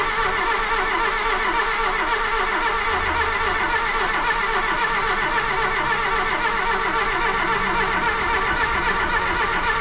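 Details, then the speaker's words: Golf II carburetted petrol engine after the carburettor rebuild, now starting instantly (owner suspects the fault was fuel), slight white smoke, manifold leak: steady, continuous note with no stumbling or backfire; engine running normally. "maintenant elle démarre vraiment au quart de tour je pense le le problème venait vraiment du carburant"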